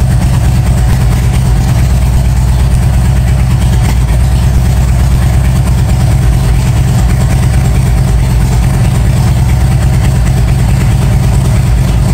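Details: 1997 Harley-Davidson Road King Evo, first start after top-end and cam chest rebuild: deep steady V-twin burble, even unbroken beats, no knocks or ticks, pressure-washer hiss behind; normal idle.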